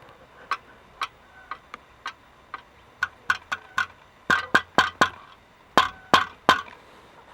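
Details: Audi A8 2.8 12-valve, engine knock traced after removal: sharp metallic clicks in uneven bursts as flexplate is rocked by hand, cracked in several places with play.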